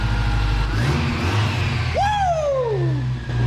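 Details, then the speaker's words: Toyota engine after valve lash adjustment (number three cylinder intake was very loose, reset from about 11–12 down to 7; two others adjusted about half a thou): steady even low idle, no top-end tapping, brief background whistle; rattle solved, much quieter. "She's way quieter. Holy cow. Dang. Dang. Dang. Dang. That is crazy."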